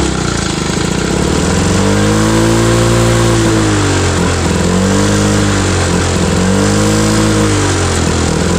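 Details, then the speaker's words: Cold start of an old mower, drill-started because it is hard to turn: loud blat surging up and down instead of holding speed; rough running, owner mentions the carburetor, needs work. "so yeah that one needs a little work but other than that it seems like it did okay"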